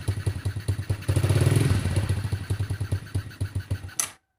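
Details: Motorcycle not started for a long time, hot water poured on the cylinder head to aid starting: uneven low chuffing about four beats a second briefly picks up, then falters and cuts out; hard starting.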